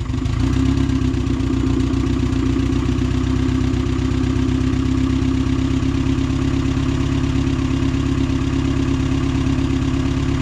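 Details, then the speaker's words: Honda Del Sol with newly installed D16Z6 turbo engine on E85, 10-gallon fuel cell and rear-relocated battery, idling low and slightly uneven with a loping pulse, spitting a little; fuel pumps audible, suspected running rich, sensor still to be replaced. "spitting a little bit of E85 they might be running a little bit Rich you hear the fuel pums working"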